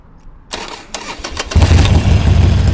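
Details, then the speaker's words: 2007 Harley-Davidson Sportster Nightster 1200 (fuel injected) with a failed starter relay, started by jumping the relay contacts: a sharp click, a short burst of cranking, then the V-twin fires into a strong, lumpy idle; clean start. "but you'll see it'll it'll crank the thing over just fine and have it started in no"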